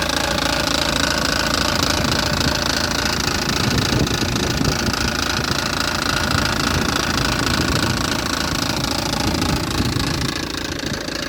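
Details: 2006 BMW 320d M47N2 diesel idling with a busy, regular tapping rattle of about three or four beats a second riding over the engine; abnormal noise, cause unknown.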